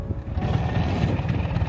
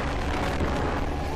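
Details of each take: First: Vespa Spartan P200XE 1985, 200 cc single-cylinder two-stroke on Pertamax, running: coarse uneven low thrumming with a shaky buzz, mirrors shaking, as if something loose; excessive vibration, arising mainly at mid rpm. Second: Vespa Spartan P200XE (1985), fully stock largest Dan Motors Vespa engine, ridden uphill on Jalan Dago, Bandung, 4th gear, partial throttle: deep steady two-stroke drone with wind rush, pulling evenly without misses; healthy, though some excess vibration.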